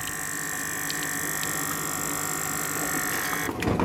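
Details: SKD62 actuator on newly replaced VXG41 three-way mixed domestic hot water valve, running for first time after reinitialisation: steady, even electric motor hum with constant high whine until it stops; driving smoothly.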